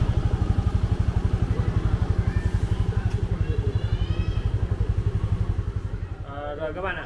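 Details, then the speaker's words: Yamaha Jupiter FI (2020) after completed engine rebuild following seizure from running out of oil: steady even single-cylinder thump about four beats a second, no knocks or rattles; running smoothly, quiet again; normal running. "đã hoàn thiện và máy móc đã in trở lại"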